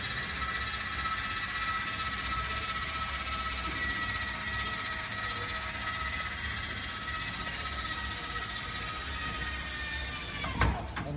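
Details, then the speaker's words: 2024 Forest River Chaparral 254RLS trailer, landing gear retracting while holding retract button: steady electric whir ten seconds, then short strain and clunk at full retraction; normal operation. "sometimes they will go up at different PES but they will both eventually make their way up"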